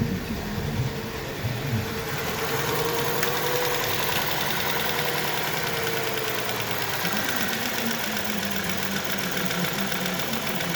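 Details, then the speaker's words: VW Tiguan 1.4 TSI on a cold start, in roughly the first minute while catalyst warm-up runs: uneven, lumpy idle with irregular stumbles. Misfires are logged on cylinders 1 and 2, blamed on the catalyst-heating software algorithm, and running normalizes once warm-up mode ends. "Несправність полягає в наступному. При холодному пуску в момент прогріву каталізатора, це десь перша хвилина роботи, у нас діагностуються пропуски запалювання."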